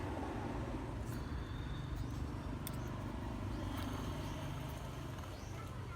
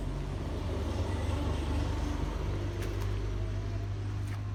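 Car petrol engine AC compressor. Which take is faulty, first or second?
second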